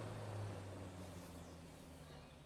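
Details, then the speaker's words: Fiat Tipo electric radiator fan motor after cleaning, lubrication and brush service (it was previously noisy and stiff with dirt inside): smooth low hum with steady airflow rush, no scraping or ticking, easing off gradually, spinning freely and faster than before. "e ela não faz barulho nenhuma é só o vento mesmo bastante vento mesmo"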